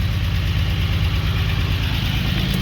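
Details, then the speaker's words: 1945 Jaguar MK4 2.5 six-cylinder after coolant pipe replacement and engine flush, about five minutes idling, bonnet on, old plugs in: steady, even low pulsing with no misses or knocks, settling into a smooth warm idle. "Okay, so she's been idling for about 5 minutes, and we put the bonnet on, and I'm going to take her for a spin."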